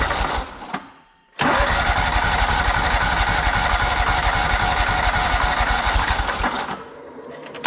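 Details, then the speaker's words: John Deere 317 lawn tractor with Kohler Command 18 hp engine, after fitting a new fuel pump; catches quickly, steady even beat, no stumbles, then shut off with the key; no leaking, runs pretty decent. "other than that there's not too much else I don't think to do it seems like it runs pretty decent"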